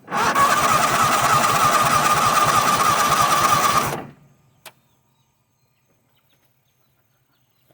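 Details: Toro Wheel Horse 266-H with 26 hp Kohler V-twin, new fuel filter, fuel pump and carburetor never fueled, fed without tank: steady cranking about three compressions a second for nearly four seconds, never fires, then silence; likely needs priming.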